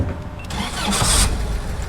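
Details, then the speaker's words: 1946 Jeep Willys, upgraded engine with helper fuel pump, 131 on replacement speedometer, still cold: short crank, fires straight into a steady, even idle with no stumbling; starts easily, good oil pressure; healthy cold start. "Starts up easily, no issues. Oil pressure, as I said, is good. It's still cold, so we'll let the water temperature rise."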